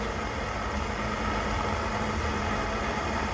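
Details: Coleman 530 G.I. A46 pocket stove after teardown, cleaning and reassembly, pumped and lit with valve opened: steady, constant hiss-roar, no sputter or pulsing; burner running properly at full flame.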